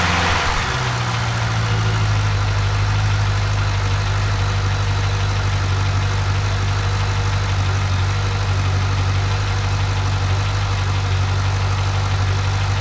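Steady V8 idle with a fast, light ticking running under the rumble and keeping pace with engine speed; the tick's source is not yet pinned down.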